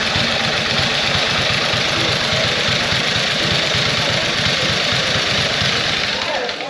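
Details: 1914 Harley-Davidson idling after one-kick start, foot clutch in rear wheel so drive chain spins constantly; even putting idle with steady chain rattle, no knock or stumble, healthy old engine.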